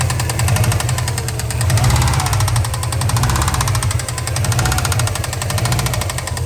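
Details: Knocking from the bottom end, suspected #3 bearing, on a 2003 Subaru Impreza WRX NB (GDA, EJ205, 5MT, 153,519 km) with steady metallic knock over the low rumble at constant speed; came after turbo overhaul and A/C compressor noise, cause not confirmed.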